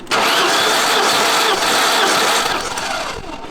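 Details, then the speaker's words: 1988 BMW M3 abandoned nearly a decade, cranking on starter with spark plugs out after oil down the cylinders: fast, even whir with no dragging; compression then measured about 120–150, favorable despite suspected pitted cylinder walls. "Um, it should spin over nice and easy all the way around. Yeah. Yeah. So, we're thinking I think the engine's probably done. Yeah. Nah, it sounds like a normal rotary engine."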